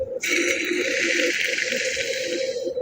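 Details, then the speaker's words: 1951 Studebaker Champion (GM 2.8L V6 swap) wheel hub after cleaning, spun by hand: smooth, even whirring hiss with no grinding, clicking or roughness; the bearing spins very easily and sounds healthy. "It's just spinning very easily. I think huge improvement."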